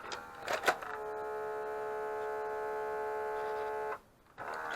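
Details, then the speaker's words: Mitsubishi MS-11V VCR stored for years, rubber belts replaced; on tape insertion a thin motor whine runs about three seconds, then cuts out and clatters as the tape fails to load and is spat back out. "still nothing see it turned a little bit down then and then it spat itself back out again I'm going to try that again"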